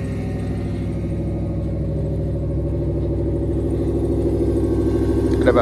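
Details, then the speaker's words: 1992 Ford 351W carbureted V8 truck, cold start at 27°F before warm-up: owner holds throttle to about 2000 rpm until smooth, then an even raised fast idle with low steady burble, no misses; normal cold fast idle, 1500 rpm shown, temperature gauge still cold. "i like to step on the gas a little bit take it out to about 2000 until it goes smooth right there now we've got a high idle"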